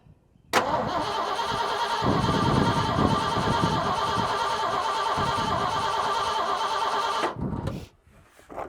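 Starter spins the engine at a steady cranking beat for about seven seconds, but it never catches; cranks without firing. Cause suspected, not confirmed.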